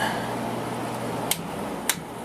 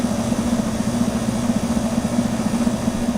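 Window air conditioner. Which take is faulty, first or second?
second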